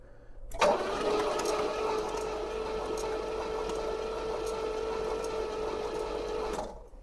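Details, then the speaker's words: 1973 Pontiac LeMans, cylinders soaked with transmission fluid, battery charger on boost: easy, steady cranking for about six seconds with no firing; compression uncertain; no spark suspected. "H. It's turning pretty pretty easy. Feel good about that. I don't know if I hear a lot of compression, but for now, I'm just happy that it turns over very very easily."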